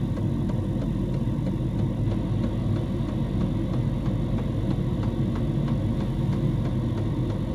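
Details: Diesel heater in a homemade fox box at full temperature, 87 °C at the heater pipe outlet: deep steady hum with light fuel-pump tick about twice a second; running smoothly at full output.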